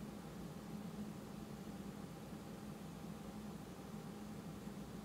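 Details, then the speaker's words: Rode NTG microphone powered by a juice pack battery rather than USB, analog output; quiet even hiss with faint steady low hum, only minimal electronic noise compared with USB charger power. "but we can see that there's very you know minimal uh you know noise on the on the graph"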